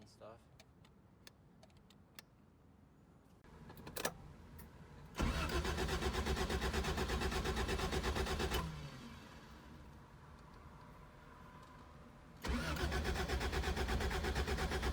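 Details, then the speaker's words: 1979 Honda Civic 1200 on its first start after sitting about 16 years. After some clatter it catches, runs unevenly and sputters, cuts out, then restarts. Ignition timing is way off, spark was lost, and blow-by comes from the valve cover breather. "um so last time we tried to start this um it did start for a second the timing is definitely way off"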